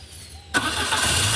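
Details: Peugeot 206 with a no start and a weak battery, after a temporary wire fix on a fuel hose clamp: quick crank, then the engine fires at once and settles into a steady, even idle; normal start.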